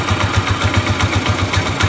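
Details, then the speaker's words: Rusi Macho TC150 single-cylinder motorcycle warmed up after its first tune-up: loud, clean, even idle thump with no knocks or misses; healthy idle. "So yun na guys, no? Yan yung tunog niya. Sound check tayo ngayong na-tune up na siya, no?"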